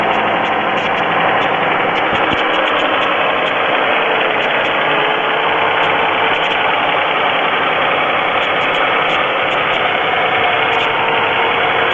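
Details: GM 3.4L V6 Pontiac at idle with plenty of oil: steady light tapping in time with the engine over a loud even run; owner suspects piston slap, and the noise later stops completely.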